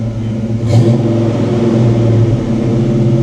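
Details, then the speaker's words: 1989 Ford Mustang Foxbody V8 5-speed, brand-new engine, restarted after stalling in anti-theft mode, radiator and cooling fans recently replaced: even, steady low rumble with no misses or knocks; normal idle. "let's try it again yeah she's happy"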